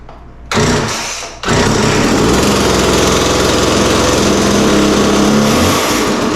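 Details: McCulloch MacCat 18 chainsaw: two-stroke fires after brief crank, settles into strong even buzz at steady revs; healthy normal running, chain oiling still to check.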